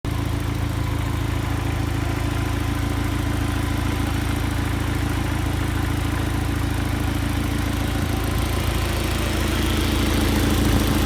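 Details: 2000 Audi A4 1.8T, 110k miles, abused: rough, uneven idle with puffing, ticking exhaust pulse; ring land failure giving low compression (dry 88,88,80,72; wet 160,163,159,132), heavy blow-by, exhaust leaks.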